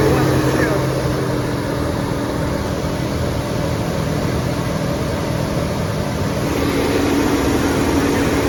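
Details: 1988 big-block 454 V8 in a 35-year-old RV, running on a 27° morning during cam break-in. An even, steady V8 hum holds at a raised idle with no ticking or misses. Normal fast idle, though break-in was cut short by overheating and the owner suspects a bad radiator.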